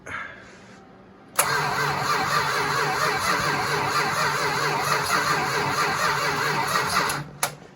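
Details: 1969 Dodge Charger 500 barn find, dormant 27 years, new plug wires and thermostat, gravity fuel feed, on a different battery: steady cranking about 2.5 beats per second for six seconds, never catches; cranking, no start.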